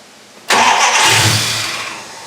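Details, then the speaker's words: 1974 Dodge Charger started after sitting two years, oil pressure while cranking: engine catches with a sudden roar and a loud airy hiss over a weak low note, a major vacuum leak from the unconnected brake booster port, to be capped. "major major vacuum leak let me fix that"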